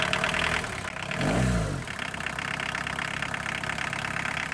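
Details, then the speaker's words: Boneyard diesel car cold-started on a 20°F February day: steady diesel clatter at idle, then a smooth blip of revs that rises and settles back, no knocks. Normal diesel idle. "Sounds like a diesel. Well, there's another one running."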